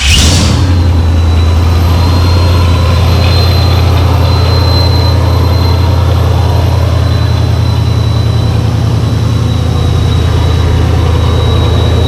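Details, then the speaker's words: Engine just fitted with a dual-pump Fore Innovations fuel system and a smaller pulley, fuel pressure holding at 45 at idle: a deep, steady, even idle with a faint constant pump hum; running smoothly. "so as you can tell if you can hear me it runs very smooth plenty of fuel pressure"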